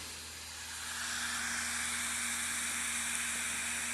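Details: Computer disc drive starting to burn a disc (test run): airy rushing whoosh swells over first second as it revs up, then holds steady with low hum; normal high-speed spin-up while burning.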